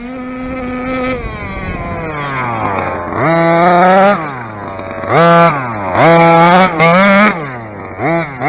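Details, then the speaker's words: Dragon Hammer V2 RC engine on its first run on flat grass, not yet properly tuned. Repeated throttle bursts climb sharply and fall back, soft and blubbery at the top end; the mixture is a bit rich up top. "You can hear it now, it's a bit rich now, you can hear it on the top end."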